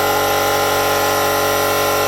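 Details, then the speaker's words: Compressed-air rig from a compressor via a Nitto connector and 1/4 inch fitting to a ball lock on the gas fitting of a FermZilla vessel under pressure test: a steady hiss of air filling the vessel, plus a faint extra hiss of a small leak at the fitting. "Okay, what you can hear there is the gas going into the container, and I'm just getting a little bit of a leak."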